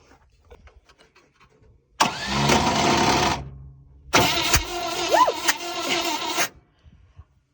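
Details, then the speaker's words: 1971 International 1110 stepside pickup from a salvage yard, long sitting: two bursts of even cranking about four beats a second, no catch; no-start because carburetor throttle plate completely stuck, no fuel getting through. "so earlier when I was hitting this and thought I was getting some movement in the plate I actually wasn't the plate is completely stuck so we're getting no gas through there so there's nothing to fire"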